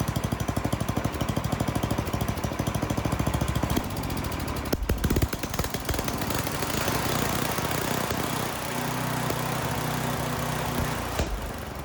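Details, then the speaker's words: Troy-Bilt snowblower, Tecumseh 10 hp single, new carburetor: rough chuffing at first, then beat and pitch shift as the high-speed mixture screw turns, from ragged lean running to heavy rich running. "I did the high end first. I leaned it out and it really started running bad. So I backed it back out and I kept backing it out until it actually ran too rich."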